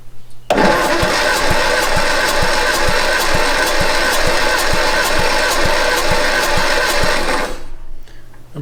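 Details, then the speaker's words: 1962 Austin Healey Sprite MkII engine after 10+ years storage, repeat compression test, one cylinder up over 130 psi as rings possibly wear back in: starter cranks at even four pulses a second, uniform beats. Normal compression cranking. "good strong compression on that one i think that was 130 before now we're up to 150."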